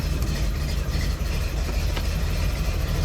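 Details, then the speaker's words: Jeep CJ7 idling rough, with an uneven, lumpy low rumble and a wavering beat, after its ignition no-start was fixed. The owner suspects the fuel, probably four-year-old gas; the cause is not confirmed. "Remember when I said it runs awesome? It doesn't run awesome all the time."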